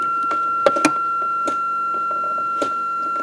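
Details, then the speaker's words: Range Rover, ignition on, selector in neutral during shift interlock wiring repair: steady high buzzer tone without break over quiet clicks; warning sounder sounding in neutral, reason unknown. "well it's funny how that goes off when it's in neutral the Sounder I don't know why that is"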